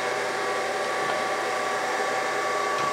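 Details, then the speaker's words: Brown & Sharpe 618 Micro Master after adding hydraulic oil and running 3–5 minutes: steady, even hum with faint constant whine, no surging or jerking; cause was air in the system, table runs smoothly. "that is working like it should. I fully expected that to do nothing to the hydraulic."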